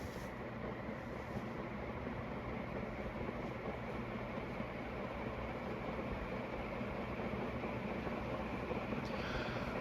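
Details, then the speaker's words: ConTech CT56 56-inch industrial ceiling fan, dated 1993, 76 W, stored about a year under an overhang after removal: steady rough whirring rumble with a dry hiss, no clear beat; worn fan bearings. "they that probably didn't do the bearings any help"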